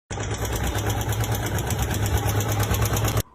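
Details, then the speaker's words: Royal Enfield with engine noise one week after a service where a small O-ring was missed, starving oil: steady idle with rapid light ticking over the low thump; tappet noise from oil starvation. "Problem என்ன அப்படின்னா வந்து engine noise so ஒரு ரீசன்டா ஒரு one week முன்னாடி ஒரு service பண்ணிருக்காரு. So அந்த சர்வீஸ்ல ஒரு சின்ன ஓரிங் மிஸ் பண்ணதால சோ இவ்வளவு ப்ராப்ளம் வந்துருக்கு."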